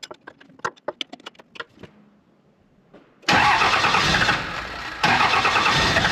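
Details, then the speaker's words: 2nd-gen 24-valve Cummins after swapping in new injectors and a modified HX40 turbo, injectors bled at cylinders 1, 3 and 4: a few clicks, then catches hard into a loud steady run; normal first start after fuel bleeding. "If the truck starts and it's super rough, don't be worried. That is normal until it bleeds out."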